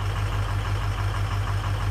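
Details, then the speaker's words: 6.0 Powerstroke diesel at idle after installing a properly rebuilt FICM: deep lumpy idle with regular dropouts in the beat; scan tool shows cylinders 3 and 5 misfiring. "You can hear it running bad, and you can see 3 and 5's missing. So this right here is telling us which cylinder."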